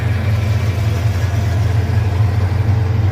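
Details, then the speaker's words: Car just lowered after both exhaust pipes reinstalled following off-road damage: smooth, even low idle, steady rhythm, no ticking or puffing; no exhaust leaks. "Time to put on the ground. Sounds great. Don't hear any exhaust leaks."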